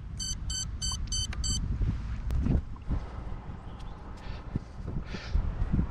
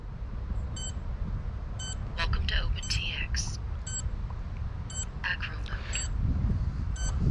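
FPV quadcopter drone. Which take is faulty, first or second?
second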